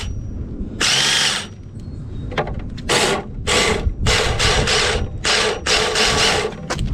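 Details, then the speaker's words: 2008 Duratrax RTX-27 1/8-scale nitro monster truck, first start attempt: repeated high whirring starter bursts, about six in seven seconds, no firing; one-way starter bearing slipping despite cleaning, engine must come out. "that was a fail the one-way bearing just started slipping i cleaned it fairly well"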